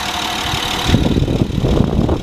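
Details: 2012 Honda Pilot EX-L 4WD V6, about 40,000 miles: steady, even low hum with no knock or miss, partly covered by rustling; normal smooth idle.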